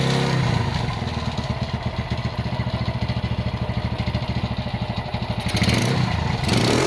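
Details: Honda GL100 (GLK 100) motorcycle engine at idle before restoration: loose uneven clatter about three hundred a minute on the clutch side, top end fairly quiet; engine also smokes and leaks underneath; cause not pinned down.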